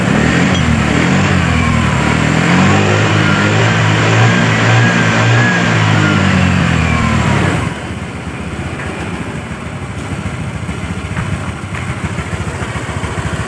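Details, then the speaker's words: Honda Vario scooter idling after reassembly of the rear drive area: smooth, even hum with no low-rpm tak-tak knocking at idle or when the throttle is opened; the jumpy, rattling-scooter complaint is fixed. "jadi untuk di bagian sini bisa teman-teman dengar disini sudah tidak ada suara tak tak tak tak tak saat RPM bawah saat sedang stansioner ya"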